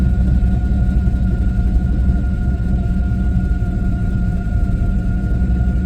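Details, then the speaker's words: LS-swapped Chevrolet Monte Carlo V8 after adjusting suspected timing or lean running, check engine light on: deep rumble at a raised idle, fairly even firing with no misses or knocks, running smoother; normal idle. "definitely likes that little higher that higher idle"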